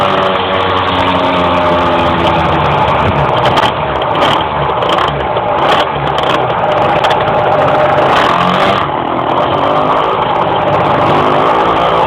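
Engine drone climbs unevenly while driving, revs surging and sagging instead of pulling cleanly; it's struggling to rev under load.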